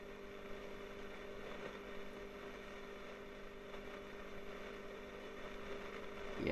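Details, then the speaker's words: Early-60s Selmer Little Giant single-ended valve guitar amp (twin triode), original and long stored: steady mains hum under rough hiss swelling louder, excessive background noise, likely a failing plate resistor; some hum when bass control turned down. "yeah that's getting really noisy now yeah I'm sure you can hear that let's just pop swing it around yep that's definitely a cook breakfast you just get this bit of humming when you turn this base control down but maybe that's just part of the design"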